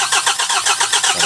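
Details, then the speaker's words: 2024 KIA K2500 diesel with hard-starting problem, after injector work: starter cranks with even pulses about seven a second while high-pressure injector pipe is bled, engine not firing; air escaping from injector lines. "Ayan tingnan niyo nagre-ret na. So lumalabas na yung mga hangin."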